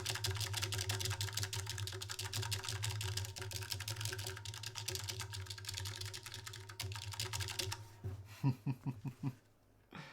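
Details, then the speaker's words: ADK64 keyboard with Plain60 Alps switches: fast irregular key clacks, each with a faint metallic ring, then slower hollow taps. The switch springs are pinging. "Can you guys hear all of that pinging?"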